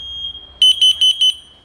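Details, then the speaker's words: Smoke detectors tested with smoke, one alarming while another at the far end keeps sounding strongly; four sharp loud high-pitched beeps after a faint tone; responding properly to smoke. "diğer koyduğumuz arkadaşlar şuraya Eee dip tarafa koyduğumuz o halen Eee şiddetli bir şekilde ötmeye devam ediyor"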